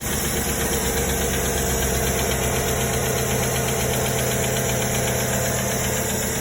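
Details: 2009 Chevy Silverado V8 at idle with a misfire on cylinder 4: a sharp, steady tick about four times a second from a lifter problem.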